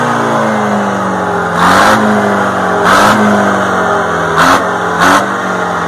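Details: Detroit 4-71 diesel generator engine, sat about 25 years under cover: steady even drone with four quick, clean throttle blips rising and falling smoothly, no knocks; revs normally.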